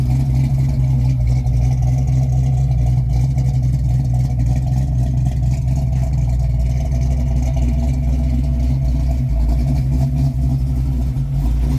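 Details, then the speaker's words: 1995 Mustang Cobra with a 331 stroker that had sat a while, check engine light on: a deep, steady low rumble at idle during warm-up, even and unbroken with no tapping or knocking; healthy normal idle. "What do y'all think? Drop a like on this video if you think that sounds good."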